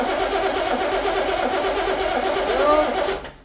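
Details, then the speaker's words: Engine that had been sitting churns on the starter without catching, then stops; cranks but does not start, and the fuel pump diaphragm is believed to be dry and not yet pumping fuel to the carb. "that fuel diaphragm's going to be dry. It'll take a bit of encouraging back in before it pumps it to carb."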